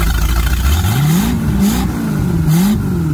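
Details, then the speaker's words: Used replacement Mercruiser 5.7 carbureted V8 for a 1997 Maxum 2300sc, run on the ground before install after sitting a long while and not yet warmed up: revs climb and drop cleanly with even firing, no smoke, knocks or misses. Normal running. "I knew she was a good motor, not smoking or anything, sounding good."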